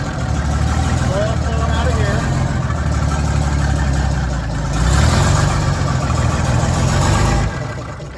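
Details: 1941 GM Silversides bus, Detroit Diesel 6-71, first start in many years: deep steady rumble swelling briefly then settling, even running, barely muffled exhaust (muffler seemingly not hooked up or straight pipe); oil pressure 40 psi cold. Normal running.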